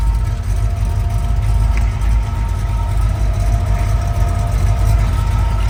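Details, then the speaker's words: 1969 Chevrolet Camaro Yenko tribute, rebuilt replacement 454 V8 (under 3,000 miles), gear drive, Hooker headers, Edelbrock intake, dual exhaust: deep steady even rumble at idle, no knocks or ticks; normal idle. "Sounds real good. It's got a gear drive in it, Moroso valve covers, hooker headers, Edelbrock intake."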